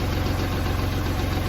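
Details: Kubota tractor diesel that wouldn't crank despite power and good fuses, now running after addressing the ignition/start switch: steady clatter with even firing pulses, no stumbles; idling normally.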